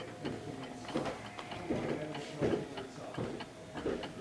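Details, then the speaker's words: 1930s Garrard Art Deco oak mantel clock with an 8-day pendulum movement, being adjusted at the pendulum stem: slightly uneven ticking where tick and tock don't match, so it is out of beat. "It's just a little bit. It's not tick- tocking. It's ticking more than talking."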